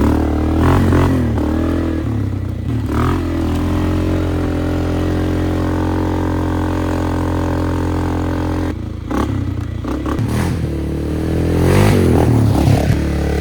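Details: Flood-repaired 2001 Polaris Sportsman 500 HO test ride, aftermarket muffler and modified clutching: even single-cylinder thump through throttle changes, no knocks; running, AWD working, fan cycling so cooling properly; primary clutch engagement delayed.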